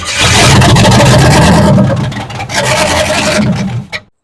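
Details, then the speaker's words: Chevy Apache classic truck, first start after a rebuilt engine, a 390 CFM Holley carb and a new wiring harness: catches right away and revs with an even roar for a few seconds before shutting off; starts and runs fine. "All right. Yeah, guys. Well, it starts. It does start in there. It should be good."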